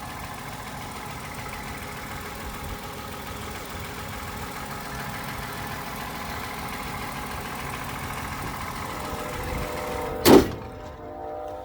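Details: 2012 Toyota Camry, started right up: quiet, smooth, even idle hum with no ticks, knocks or misses; engine sounds healthy, though wheel bearing noise of undetermined location is noted elsewhere.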